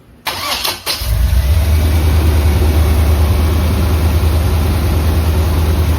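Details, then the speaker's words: 1976 Chevrolet Corvette V8 right after distributor replacement (old one overheated and caused stalling): short crank, catches within a second, settles into deep, steady, even idle; no knocking so far. Normal start and idle. "Let me just see. And sounds like a good start. Let me get out and drive it around. See if it knocks. Well, so far so good."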